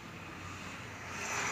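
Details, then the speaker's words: Chevrolet Celta/Classic after replacing the accessory belt bearing: petrol engine idles smoothly with a steady low hum, no squeal, chirp or bearing noise. "eu vou mais para vocês o resultado certo sem ruído nenhum"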